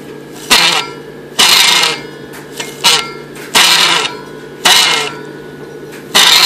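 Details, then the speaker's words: Overhauled 6-volt Delco-Remy generator from a '47, bench-run in basement: harsh squawking squeal in bursts about once a second; owner suspects worn rear commutator bushing, front bearing possibly unreplaced. "sounds like a goat dying so uh I'm going to read the manual take it apart and it's probably the bushing in the back"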